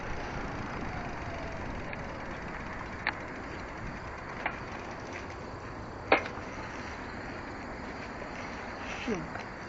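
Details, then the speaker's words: Fuji Royale bicycle with LeafBike e-bike conversion riding at about 30 mph after brake squeak fix; steady wind and tire rush, few faint ticks, no brake squeal: normal e-bike ride, squeak fixed. "here's my fast speed of 30 miles an hour, just to show that the squeaking problem is done, and I can do 30 or so on this."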